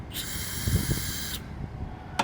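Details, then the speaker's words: Old York heat pump outdoor unit, hose purged at the service port: a brief thin hiss that stops after about a second, far too little pressure; gauge later reads -8, so the refrigerant charge is low. "That's not a whole lot of pressure, guys. I'm going to put the Z manifold gauge on here. We'll check it out, but it looks like this thing's probably going to be low in gas."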